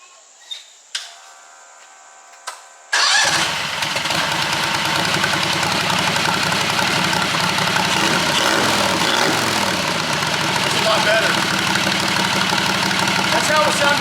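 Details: JD214 mud mower with Predator 670 V-twin after fitting a new perforated muffler baffle to spread heat; a few clicks, then it fires into a fast, loud, raspy run, sounding quieter than before; exhaust with new baffle.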